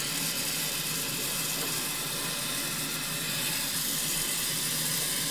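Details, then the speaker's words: Washing machine filling, with a steady water hiss; after water hammer arrestors were installed, there is no bang when the hot water valve shuts off, and it is quiet. "And when the hot water turns off, now there's no water hammer noise. Obviously you can still hear the water running, that kind of thing. But other than that, dead quiet."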